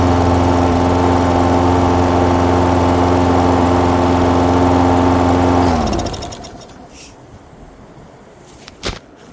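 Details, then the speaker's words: Lawn mower unstarted for 4–5 years on four-year-old gas, after blowing compressed air through fuel line and carburetor: steady, even drone at constant speed with no misses or surging, then clean shutdown; normal running. "Oh my god, I'm never cleaning out a carburetor ever again. Only thing I did, took some compressed air, took the fuel line off going to the carburetor, blew the air through the carburetor. It blew it out completely."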